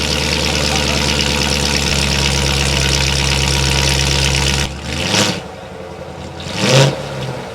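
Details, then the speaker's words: Cheap wrecked C7 Corvette Grand Sport, 78,000 miles, jump-started, first start after purchase, transmission fluid pouring out: loud, steady V8 idle with a throaty exhaust note for a few seconds before cutting off; engine started without locking up and sounds healthy. "That didn't lock up. That started beautifully. Thank you, God."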